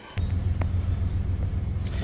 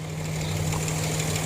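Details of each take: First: Nissan Xterra 3.3 V6 starting right up and settling into a steady low idle with a few clicks, no check engine light yet, after head reinstalled and new fuel injectors while chasing bank 2 running rich. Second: Nissan Xterra 3.3 V6 at 183°F operating temperature after fixing bank 2 running rich: steady, even idle hum with no stumbles or misses; engine purrs, normal idle.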